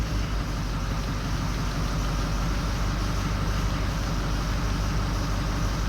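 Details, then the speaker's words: 2004 Ford 6.0L Powerstroke diesel, after injector work, runs fine first minutes then misfires: rough, shaky idle with deep uneven thump as number 7 drops out on power balance test; bank 1 odd injectors. "Okay, see that number 7 dropping out? That's not running the greatest, but it's gonna get worse."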